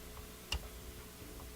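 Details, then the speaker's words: Northern Electric Model 8508 "Midge" five-tube radio: two soft, dull thud-like clicks from the on-off switch with no crisp snap; the switch is gummed with oily goo and suspected faulty. "So here's the on-off switch. Listen to the click. It's kind of a thud."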